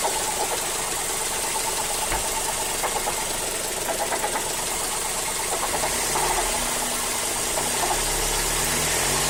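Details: Mazda3 GT 2.0 running: a light, uneven knocking, about three per second, from the engine compartment, synchronized with engine rpm. The source is unclear; the owner suspects the A/C compressor clutch.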